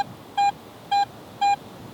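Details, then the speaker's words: AT Pro metal detector in Pro mode with iron audio on, sweeping a large silver coin: four crisp, identical high beeps with no iron grunt, a clean, clear high tone from a good target. "Still sounds clean and clear, high tone."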